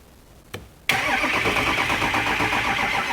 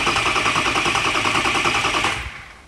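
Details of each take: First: 2005 Ford F350 6.0L diesel cranked on an Audew 1000A jump pack (about 12.98 V): fast, even cranking at about three turns a second, pause, more cranking that fades, chime beeps; never fires; crank no start. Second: 2005 Ford F350 6.0L diesel with two new batteries (12.51 V) jumped from another vehicle: fast, even starter chatter spinning the engine strongly, then winding down; normal healthy cranking.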